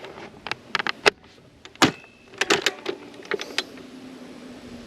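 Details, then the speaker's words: DeWalt DCFS950 9-gauge fence stapler working again: crisp clacks at irregular intervals with short whirs between, each shot firing cleanly. Owner suspects the earlier fault was rain or dew causing electrical contact issues at the jam mechanism. Normal firing. "Alright. It's back working."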